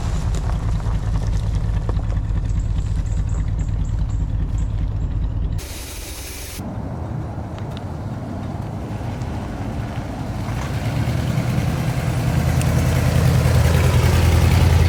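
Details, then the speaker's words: 1986 Chevy G20 van V8 started after sitting 5 years, warming up, alternator charging 13.65 V: deep idle with a steady puffing tick about three per second on one side; suspected exhaust leak, unconfirmed. "From the sounds of it, it sounds like there's an exhaust leak on this side."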